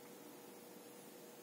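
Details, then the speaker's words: Bicycle inner tube valve: faint, steady airy hiss with a thin tone from air escaping past the valve core; soapy film over the valve bubbles immediately, confirming the valve core leaks. "она здесь еле слышно но слышно шумит вот если помазать пленкой пузыри сразу идут сразу идут пузыри она не Это говорит о том что ниппель не держит он травит"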